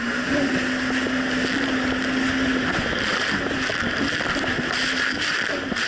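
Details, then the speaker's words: 2007 Yamaha VX Cruiser jet ski under way on Lake Michigan in choppy waves, after a $10 fix for a surging/bogging problem that a narrow gap probably caused: a steady, even engine drone over wind and water with no surging. "but honestly the Jessie's actually running a whole lot better it's not doing the surging issue"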